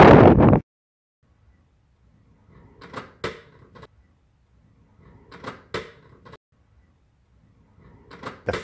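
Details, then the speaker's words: Falmec cooker hood in high wind: irregular clusters of light clacks and bangs every few seconds, as the spring-loaded backdraft damper flaps, whose springs have worn out, get sucked open and slap shut. "inside the cooker hood the pressure is making it flap so it's got a flapper with springs but the springs wear out so basically they the flaps get sucked open and then it just starts sucking air"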